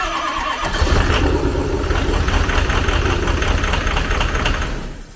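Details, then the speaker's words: Diesel truck with melted wiring harness, tried on a fresh battery: catches and runs ragged and uneven before dying, white smoke and raw diesel smell; air in hydraulic injectors or a melted injector tip suspected. "that sounds like lots and lots of air in the in the injectors because they're hydraulic or it got hot enough and maybe it melted a tip of an injector and we've got raw diesel"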